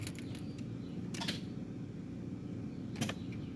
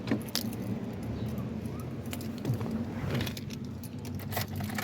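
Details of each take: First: Key turned to crank, voltmeter on the starter circuit holding at 0.2 V with no voltage drop: sharp scattered starter clicks over a low steady hum, no cranking; the starter itself is bad. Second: 2005 Nissan Sentra with intermittent no-start, after starter replacement and reassembly: quiet handling noise, then starter catches at once and engine settles into smooth, steady idle; healthy start.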